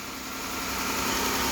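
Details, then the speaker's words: 2015 3.6L Pentastar V6 after repair of a ticking top end with new latest-design rocker arms: smooth even idle with hiss and hum, no ticking, very quiet. "all right now listen to this yes squeaky quiet well squeaky clean squeaky quiet"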